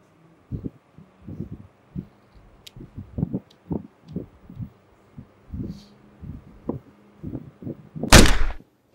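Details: Fujitsu inverter multisplit outdoor unit (model ABG18-type) with active filter board failing: irregular dull pops from the condensing unit ending in one loud crack as the board shorts out; electrical short-circuit arcing and blowout.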